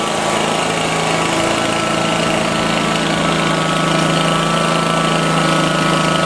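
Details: Exmark Lazer-Z zero-turn after hydraulic oil and filter change; loud steady engine with rough growling grind from the hydrostatic pump caused by trapped air, which will work its way out after settling.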